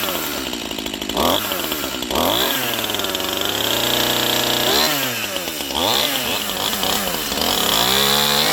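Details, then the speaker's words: Stihl MS 181C Easy Start chainsaw after routine maintenance and a new chain, still warm, started: a high two-stroke buzz revving smoothly, with clean pickup and a steady idle. It runs good; only the starter is trippy. "Not a bad little saw. She runs good. That starter's just trippy."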